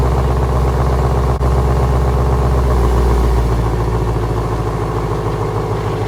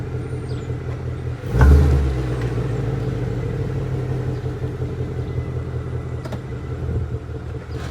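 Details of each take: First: 2017 Ford Mustang GT (S550) test drive after replacing the left rear half-shaft thrust washer: smooth, steady low engine drone under way, no clunk on drive-reverse shifts or load changes; rear driveline now quiet and healthy. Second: 2017 Ford Mustang GT V8 at idle, shifting gear: two sharp driveline clunks and light ticks; worn half shaft thrust washer behind hub bearing, persisted after wheel bearing replacement, fixed by replacing washer.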